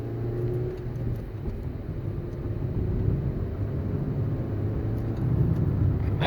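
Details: 2013 Honda Civic, under 90k miles, test drive after front wheel bearing replacement: only steady low road rumble, no hum or growl building with speed; the earlier hum is gone.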